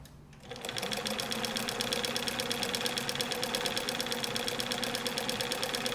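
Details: Overhauled 1965-era Bernina 730 Record free-arm sewing machine with double belt/pulley drive, sewing a short stitch: quick, even ticking at a steady rate over a smooth hum, no knocks or rattles; running normally and healthy.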